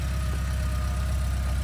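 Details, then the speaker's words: 1983 Porsche 944 back running after sitting 14 years, brakes rebuilt, on first test drive: smooth, deep, even idle with steady low pulses, no knocks or ticks; temperature and oil pressure normal, no leaks. "temperature gauge is perfect, oil pressure is perfect, sounds good idling here."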